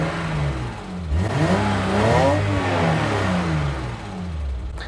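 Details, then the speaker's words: BMW E30 325iX six-cylinder with stock muffler, starter and rev heard. The valve train is noisy because it uses mechanical eccentrics on the rocker arm shaft. The rev climbs crisply and returns to idle with no rattles or misfires. Normal engine rev. "the sound of the starter the sound of the valve train they're kind of noisy in the valve train because you don't do valve adjustments you know it's got mechanical eccentrics on the rocker arm shaft so you can hear all that"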